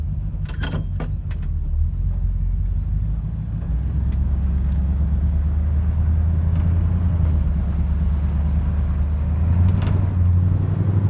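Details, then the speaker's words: Roadrunner V8 on a short drive, going through the gears before a cross-country move: a deep, steady rumble pulling evenly with no misfires or anything irregular. Normal running. "as we're cruising here, just listening, making sure it's going through the gears, sounds good, which it does. No misfires, nothing irregular."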